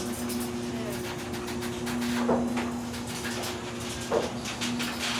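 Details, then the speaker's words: New Chamberlain 1-1/4 HP smart garage door opener (replacing an old Genie), opened via MyQ app: soft steady motor hum, faint rumble and creaks from the door, which owner says probably needs oiling; opener runs very quietly. "Notice how quiet it is. It's super super quiet. The only thing you hear is the sound of my garage door, which it probably needs to be oiled, but it's super quiet."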